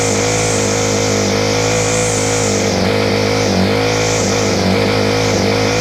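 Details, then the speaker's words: Free Ryobi 4-stroke trimmer on a freezing morning, after choke, fuel and low/high screw tweaks: high buzzing revs surge and sag about once a second; hunting from incorrect carburetor mixture, owner suspects slow-running jet, possibly missing air filter. "we're getting there it's just literally a mixture issue the I think me uh the slow running Jets called me a few problems facing really really loose - you're not good thing but it is running"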